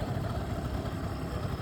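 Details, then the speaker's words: Used Japanese Suzuki Verde 50cc two-stroke scooter, hand and kick start, starting easily: steady, even small two-stroke idle puttering with a light rattly burble and no knocks; runs cleanly, normal idle. "เรามาฟังเสียงเครื่องกันครับเครื่องฟิตสตาร์ทติดง่ายนะครับ"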